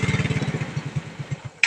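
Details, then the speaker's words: Yamaha Mio Sporty scooter dies when the brake is squeezed. Firing pulses at about ten a second fade and stop, then a click. The regulator wire was burnt, so the scooter ran only on battery supply. Engine stalls when braking. "boss namamatay namamatay pag pinipisil ang Pren Yun daw ang issue niya"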